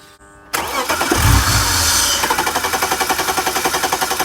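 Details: BMW E46 323i with M52 engine during diagnosis, fuel pressure about 50 psi and holding while cranking. The starter spins with a steady, rapid churn, about four beats a second, but it never fires; crank no start, later traced to the air flow sensor.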